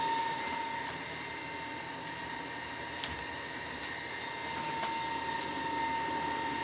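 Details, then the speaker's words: Newly delivered EG4 FlexBoss21 / Amensolar N3H-X12US solar inverter with a steady, harsh rushing roar and a thin high whine on top, no rhythm; its cooling fan runs abnormally loud. "Yeah, listen to that thing scream. Oh, look at my microphone. That can't be normal. That thing is obnoxious."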